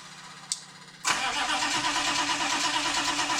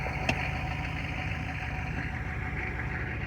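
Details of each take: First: 1993 Chevy 2500 6.5 diesel, cranking after DB2 injection pump replacement and bleeding air, batteries getting weak: two long cranks of a few seconds each, steady starter beat without proper catch; long-cranking hard start, later smokes heavily. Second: 1993 Chevy 2500 turbo 6.5 diesel after fitting a replacement DB2 injection pump, which replaced a faulty pump that smoked heavily. Smooth, even idle rumble with no misses or knocks and no longer heavy smoke. Normal, healthy idle.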